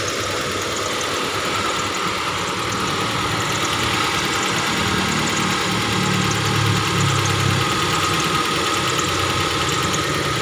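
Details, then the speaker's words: Hyundai Trajet that stalled suddenly on the road, first start after replacing the fuel pump and refilling the tank. Even, steady, smooth idle with no misses, knocks or hunting: normal idle. "alhamdulillah nih sudah hidup sudah hidup alhamdulillah nih"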